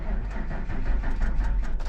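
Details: Snow plow truck left with battery knife switch on and door ajar: slow, lumpy cranking with uneven churning that nearly catches but never settles into a run; battery run down, battery light on after.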